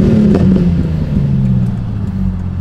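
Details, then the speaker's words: E46 M3 inline-six with RKTunes tune and six-to-one exhaust, driving home: deep, smooth, steady drone with no misses, pops or rattles. Healthy exhaust note, though idle had been struggling. "still sounds good hopefully I'm not damaging the car by doing this"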